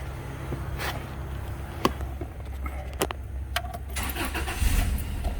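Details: Older Subaru Outback wagon with a new battery, where an aftermarket alarm system had stopped it starting: after the battery was reconnected and the key left in run, key and cabin clicks, a short crank, then a smooth, quiet idle. Normal start.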